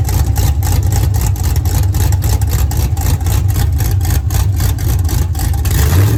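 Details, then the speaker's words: 1983 Ford Mustang with rebuilt 5.3 LS V8 from a 2002 Avalanche, with cam upgrade and 4L60E, thermostat not yet open, oil pressure 40 idle/70 revved, more chop at low rpm: deep even rumble climbing smoothly when revved and settling back; healthy. "So Riley's ecstatic. Everything sounds good. Everything ran good. We're very happy there."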